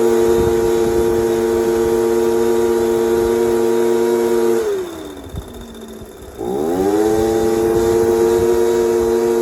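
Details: Echo PB230LN handheld blower, restarted after sitting about an hour, following new fuel pump and metering diaphragms that fixed a no-rev fault: steady high buzz that drops smoothly on throttle release and climbs back cleanly without bogging; healthy.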